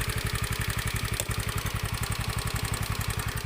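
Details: Honda Beat FI single-cylinder scooter idling on external fuel supply, an infusion bottle pressurized by hand pump instead of the fuel pump, testing suspected weak fuel pump; even, steady putter with no misses or stumbles, normal idle.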